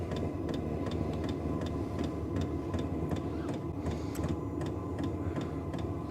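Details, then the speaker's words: New Vevor diesel heater at startup, outlet around 93°F and warming: light, even clicking of the fuel pump two to three times a second over a fan hum that ramps up; normal operation. "You hear the clicking in it. And then you can hear it starting to make the noise. It's ramping up."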